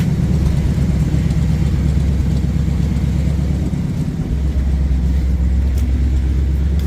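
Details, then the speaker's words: Jeep J10 engine running after reassembly, quiet with no vibration despite a bad cam bearing; faint tinny rattle is the heat shield installed on the exhaust manifold; exhaust manifold heat shield rattle. "rattle that you hear is that heat shield that I installed on the uh manifold a while back"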